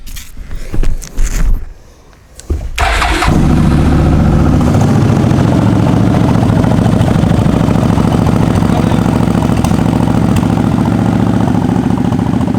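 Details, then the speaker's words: 2003 Suzuki Marauder 800 V-twin, about 15,440 miles: after a first failed try, a short crank and it catches at once into a steady, loping idle; comes right to life, no battery issues, no spit or sputter, runs well. "Comes right to life. No battery issues, doesn't spit or sputter. It runs pretty well."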